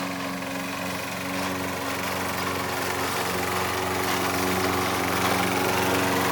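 Small mower engine drones steadily with a rough grinding churn underneath while cutting, pointing to a worn drive transmission.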